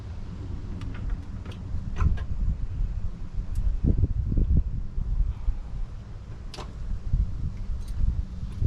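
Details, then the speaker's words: Engine running after an alternator replacement: even low rumble with no whine or harmonic noise riding above it; alternator quiet, charging good, normal operation. "All right, so alternator job done, nice and quiet, no harmonic noise in that whatsoever, and it charges good."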